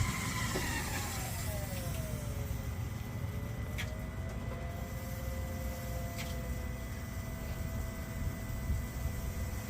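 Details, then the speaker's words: 3.0L Duramax diesel truck after fuel filter replacement, key on, engine off, brake not pressed; faint wavering lift pump whine over low hum as the system purges air, with watery squishy noises expected. "And now you're gonna hear, hopefully you guys can hear it, but you'll hear the system purging itself. So it's taking all the air out of the system."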